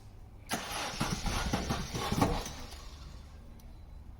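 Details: 2006 Opel Astra with 1.8 Z18XE engine, client complains of hard start and very rough running: the starter grinds about two seconds with uneven pulses, reluctant to fire and cranking too long.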